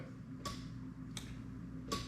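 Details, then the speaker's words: Lexus LS400 1992-94 1UZ-FE non-VVT-i plug-and-play harness on an IS200 half cut, starter plug fitted with test LED; three crisp clicks about 0.7 s apart over a faint hum as the starter relay pulls in, normal starter circuit. "Now as I flick over, you're going to hear the actual relay go, but you'll also see the LED light up."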